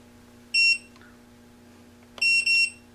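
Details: Parallax Elev8 quadcopter with a HoverFly flight controller: a single high beep, then a quick double beep about two seconds later over a faint hum. This is the controller disarming before two ESC motor wires are swapped to reverse a motor's rotation.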